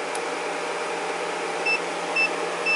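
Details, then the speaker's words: Array 3711A 300 W DC electronic load in constant current mode, pushed past its threshold of about 310 W: three short high-pitched beeps about half a second apart over quiet fan hum; entered overpower protection. "so that's good to know and we do hear this beeping noise to let you know that it entered the protection mode"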